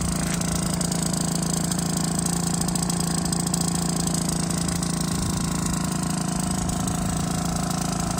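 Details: Aprilia SR50 Morini two-stroke scooter after a from-scratch rebuild, exhaust leaking at a new spot: fast idle with a raspy, sharp popping pulse of about three per second, exhaust blowing at a joint.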